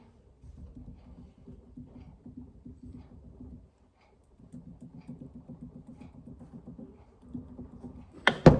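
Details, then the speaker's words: Triumph Spitfire 1500 with a knocking noise, drive shaft removed and turned by hand: rapid clunky rattle in bursts. The noise persists with the shaft off that side, so the hub is suspected next. "yeah so hopefully you can hear that but I was hoping if I took the dry shaft off that side if there's no noise it's just you know the universal joint but listen the noise is still there"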